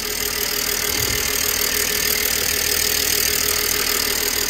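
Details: 2007 BMW E90/92 318i convertible after rocker cover gasket change: smooth steady idle with even hum, no ticking, knocking or hunting; no leaks; healthy.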